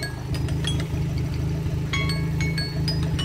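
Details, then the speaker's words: Turbocharged 1ZZ Toyota MR2 Roadster, oil-burning engine, idling for engine flush after adding exhaust baffles: smooth, even low rumble, quieter exhaust, a few light clinks; normal idle. "okay so that's all gone in i'm just gonna let that idle now for 10 minutes as you can hear the exhaust is a lot quieter now than it was adding the baffles"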